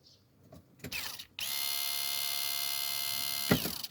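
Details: BMW E36 325 TDS with a hot-start problem: at ignition on, the lift pump gives ratcheting clicks, a steady high electric whine for about two seconds, then rattles as it stops. The noise is abnormal and the owner replaces the pump.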